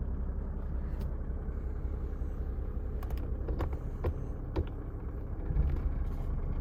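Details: Mercedes W124 idling in Drive: low steady idle rumble with scattered light rattles and clicks about every second; defective engine mount.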